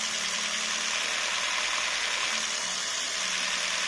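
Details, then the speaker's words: Jeep Renegade 1.4 L MultiAir2 turbo I4, after fixing misfire codes P0300, P0303, P0304 and P0353 and checking the spark plugs: engine light off, even and steady hum with no stumbles; normal smooth idle. "Engine light is now off. Idling issues seem to be okay."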